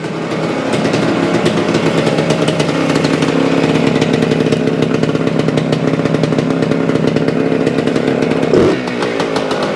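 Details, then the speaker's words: 1975 Suzuki TS-250 two-stroke, 6-volt system, after no-start repair: crisp, even buzz holding steady, no misses, rattles or surging; runs after stator rewired, loose screws secured, frame paint scraped and coil remounted for ground. "well she runs it had to do something with the wiring or the coil or something that because that's all I did rewired the stator"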